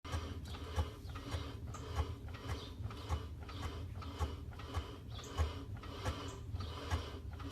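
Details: 1991 BMW 318is: dull low thumps every half second to second from underneath while driving, worse at full speed; owner suspects a bad driveshaft center bearing rather than the guibo, unconfirmed.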